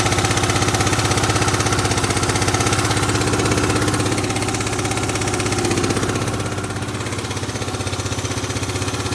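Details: Yamaha Grand Majesty SG15 scooter, 30,000 km, oil changed every 2,000 km: steady fast ticking about four per second over smooth idle, appeared suddenly; owner hopes AIS pipe exhaust leak but suspects crank or head area, unconfirmed.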